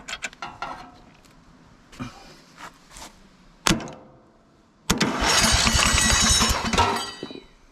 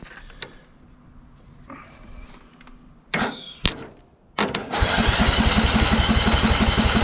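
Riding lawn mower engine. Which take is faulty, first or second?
first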